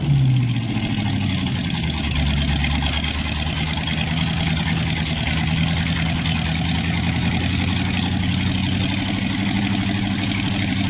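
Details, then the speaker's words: Freshly rebuilt 1960s Chevy 327 small-block V8, restarted: steady, even idle with smooth low rumble, no knocks or ticks; oil pressure about 60 psi at idle and about 80 psi revved, healthy motor. "No, you're going to sound very healthy that motor. >> That's a good motor."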